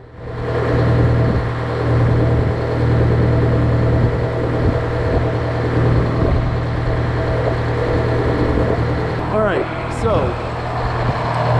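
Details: GM 4-71 two-stroke supercharged diesel, about 160 HP, probably 50–60 years old, Frick sawmill engine, unloaded, only slightly warm, temperature barely up: steady, even low throb, no knocks or misses; normal idle.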